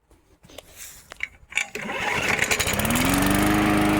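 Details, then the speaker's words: MTD 20-inch push mower after carburetor, air filter and spark plug replacement: a few rattling pulls, then fires and revs to a steady, even run with no surging or sputter. "Oh. Well, it started on the first pull that time. See what it does now."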